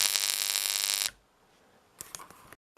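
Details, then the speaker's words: Known-good comparison line output (flyback) transformer, used in a repair of a c.1978–79 Rediffusion Mk3 colour TV, energized: harsh high-pitched buzz with crackling, strong EHT output, then cut off. The Rediffusion's own transformer gave no output. "so if you look at that it's producing EHT everywhere there's that much coming out"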